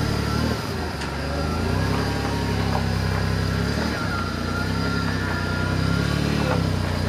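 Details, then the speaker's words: Maserati 4.24V twin-turbo V6 barn find, running rich: car rolling at steady speed with a faint constant whine over a low drone from rear brakes dragging constantly and slightly noisy power steering. "ở đây là phanh sau cắn liên tục và tay lái trợ lực hơi ồn , tôi sẽ có lời giải thích ngay sau đây"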